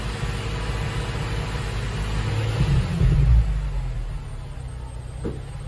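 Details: Nissan Fairlady Z Z33, VQ35DE V6, automatic, 310,000 km, just after a DIY engine overhaul: a deep, even note swells smoothly with a light blip and settles back, no knocks or ticks. Runs clean and healthy.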